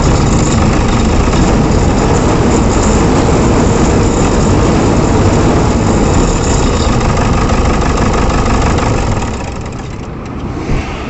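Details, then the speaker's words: Toyota Innova diesel with malfunction light on: heavy, uneven vibrating idle that never settles, traced to damaged wiring on a sensor. "यह गाड़ी भाग ले रही सभी को स्टार्ट करते हैं इसका इंजन बहुत ज्यादा वाइब्रेट कर रहा है"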